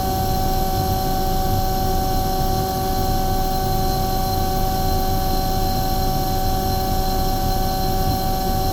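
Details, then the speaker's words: Omni/EconoHeat/Morrheat waste oil heater burner after cleaning and nozzle service, oil-clogged beforehand; steady even roar with constant hum, no surging or sputter, setting about 12.5, smoke clearing, not blowing out; firing cleanly, running well. "that's actually really good it's actually running beautiful there it's just oh about 12 and 1/2 that smoke is clearing now notice it's not blowing out everywhere"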